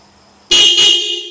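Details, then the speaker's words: Yamaha Mio motorcycle fitted with a Toyota Avanza car horn: two loud, clear blasts in quick succession, a strong steady tone that fades out cleanly; the horn works fine. "Mantap suaranya kan, kencang dan stereo."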